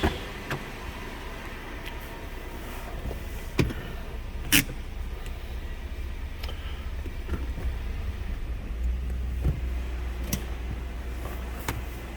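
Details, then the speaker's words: Lexus LX470 V8 cold start, idling in reverse under load to reveal manifold ticking: low even idle with only stray clicks, no rhythmic tick; exhaust manifolds sound sealed, normal idle in reverse. "quiet as a mouse just what you want to hear absolutely zero tick going on at all on this"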